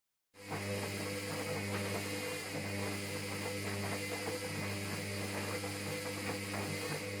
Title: HOOVER Dynamic Next Advance WDXAC6852B Starting a wash Noisy AGAIN